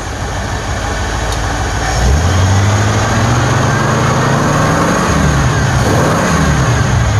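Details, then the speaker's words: Ford engine with cheap Chinese eBay 2100 carburetor fitted, curb idle just lowered: speed drops into steady smooth idle, estimated under 500 rpm, slight drift, no misses or stumbles; carburetor works. "listen to that i bet that ain't 500 rpm very nice kind of like that right there"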